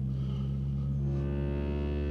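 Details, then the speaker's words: 2007 Ford F250 Crew Cab 6.0L diesel, driver-side door speaker on a roughly 40 Hz test tone: deep tone comes out buzzy with rattling overtones; the speaker distorts and rattles at low frequency. "I can actually hear the other speaker rattling on the driver's side"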